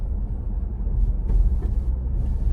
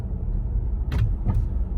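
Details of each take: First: 2022 Ford Bronco four-door Badlands with MIC hard top, after fixing popping caused by a plastic pin rubbing in a bracket hole overhead; driving over a manhole cover, only low road rumble and dull thump, no roof clacking. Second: Roof of a 2022 Ford Bronco four-door Badlands with MIC hard top pops, sometimes clicks, right overhead as the vehicle hits a bump; two sharp pops or clunks over steady road rumble (a manhole clank also heard).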